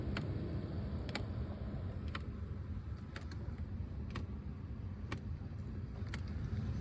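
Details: 2004/06 Mercedes CLK C209 / C-Class W203 with facelift interior, driving: a light, steady tick about once a second from the dash over road rumble, persisting after both footwell actuators were replaced; a flap actuator is suspected.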